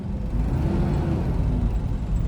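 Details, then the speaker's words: 2009 Toyota Innova, about 170,000 km: deep constant whooshing roar over the engine when revved, with vibration. A seized viscous fan clutch spins the fan fully all the time instead of only when overheating, so the fan clutch is replaced. "ഇത് over temperature ആകുമ്പോൾ മാത്രമേ അത് ഫുള്ളായിട്ട് കറങ്ങാൻ പാടുള്ളൂ. എല്ലാത്ത പക്ഷം ചെറിയൊരു തോതിലേ ആ ഫാന് കറങ്ങാൻ പാടുള്ളൂ. അതാണ് അതിൻ്റെ വർക്കിങ്."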